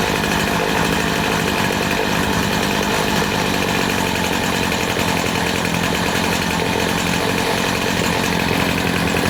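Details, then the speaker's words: Poulan Pro PP258TP 25cc two-stroke pole saw from an estate sale, long unused, first run after fuel was drizzled into the cylinder. A steady, even, high-revving buzz as it warms up, with no stumbling or surging. It runs cleanly and still needs fine-tuning. "Well, that sounds amazing. That's running really, really nice. I'm very happy with that."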